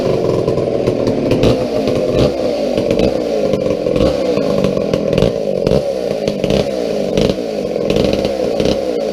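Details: McCulloch 797 123 cc chainsaw, sat unfired for years, fitted with a fuel system and filter: strong buzzing, picking up cleanly on each rev, no stumbling or bogging; healthy running.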